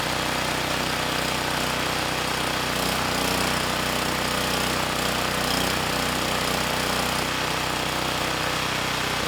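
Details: Campbell Hausfeld GN503100AC generator, Briggs Vanguard engine with clone carburetor, airbox off, no load: small engine runs fast and rough, revs rising and falling every couple of seconds; running slightly lean. Surging at no load from lean mixture.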